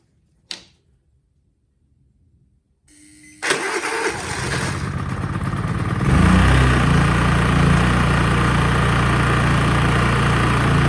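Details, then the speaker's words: Honda EU30is inverter generator bought untested at auction: after starting, it settles into a steady, even drone that fills out slightly when a 3 kW load is switched on at half setting; normal running under load. "it's running it's got a 3 Kow peror going to put it in half setting see what it does"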